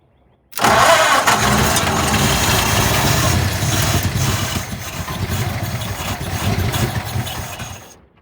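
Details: 1948 Ford junkyard truck V8, unrun for decades, throttle pressed on the second try: it catches abruptly and settles into a slightly uneven, lumpy run, a first start after long storage.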